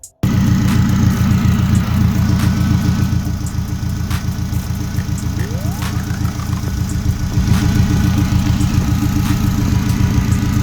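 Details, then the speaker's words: 2009 Honda Civic Si with newly installed CX turbo kit, not yet tuned, fans not kicking on: steady idle pulsing about 210 per minute with faint whir, no misses or knocks, no check engine; normal idle. "No check engine. No check engine. What's that smell? Is that rich? It's your exhaust scrap. Sounds good."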